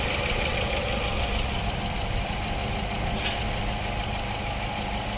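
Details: 2019 Nissan Pathfinder 3.5L V6 idling with code P0101 while purge and PCV are checked, fuel trims still adding 30%; uneven hunting idle with irregular beat; rough idle from contaminated MAF sensor.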